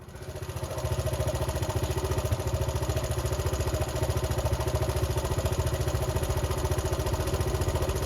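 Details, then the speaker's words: Honda C70 Cub small single, under restoration, ticks over at a steady, even idle with regular exhaust pulses and no misses, running sweetly after earlier running rough; normal idle. "oh that's it now part six still running sweet"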